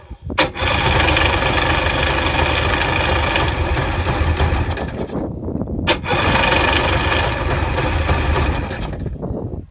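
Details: 2000 Sea-Doo GTI that slowly bogged down and died: two long cranking bursts of about five seconds, starter spinning hard but nothing catches; has spark, carb rebuilt, fuel selector changed, still won't start.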